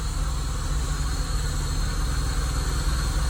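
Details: Peugeot 306 cabrio, 2000 (owner says 1998): steady low rumbling idle with uneven loping beat about three a second, smoking black, running rich; coolant temperature sensor suspected, unconfirmed.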